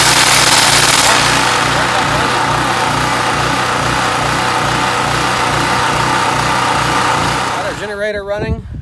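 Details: Generator used only once, after the carburetor was cleaned because the fuel pickup straw from the bowl was found clogged. A loud, buzzy small engine with an uneven pulse of about four beats a second that wavers instead of holding steady: running rough.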